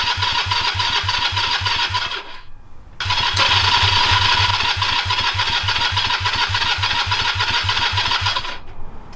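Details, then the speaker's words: Honda CB250 scrambler build, first start-up attempt with straight twin pipes, no muffler: steady starter churn about three and a half beats a second, never catches; crank no start, cause not yet found. "okay I'll have to start troubleshooting as to why it's not starting"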